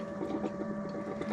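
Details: Motorhome fresh-water pump, system unused for years, after clearing the airlock; quiet steady hum with quick even pulsing as water flows, pump fine, fault was the airlock.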